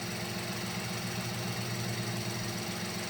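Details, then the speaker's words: Mini Cooper (BMW engine) at cold idle with the cover off during a spark plug change: an uneven rattle comes and goes over the engine drone. Something is suspected loose, possibly the cam timing tensioner, but this is not confirmed. "you hear that attack out of nowhere she's like right here and then she goes away"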